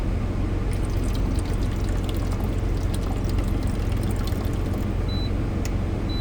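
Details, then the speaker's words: Euhomy refrigerator and ice maker combo on a repeat try after an add-water error despite a full reservoir: steady water fill under a faint hum that sounds normal; the same false add-water error follows, and the cause is not identified. "And if I try it again, turn it on. Do the same thing."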